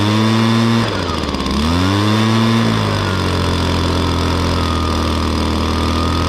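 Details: 2016 Echo PB-265 blower with a 25.4cc two-stroke engine: revs dip and climb once, then settle into a smooth, even high drone. Normal running.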